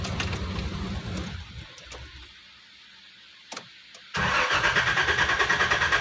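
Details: 1990 Nissan Safari: starter turns the engine over at an even rhythm, about three beats a second, but it never catches; normal cranking, no start.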